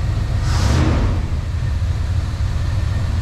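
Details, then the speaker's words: 1994 Chevy Silverado 1500 Z71 V8, just started after sitting 10+ years, rebuilt throttle body, vacuum leaks still present: deep, even V8 note swells with a quick throttle blip and settles back, no tapping or knock; healthy. "let's give her a little bit of the beans i haven't heard this truck run in 20 plus years and no knocking no nothing"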